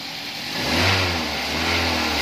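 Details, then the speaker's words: Toyota Avanza after alternator diode replacement, revving: engine climbs smoothly from idle with no whine or hum; alternator now quiet, normal. "wala na ring Ugong w ng tunog"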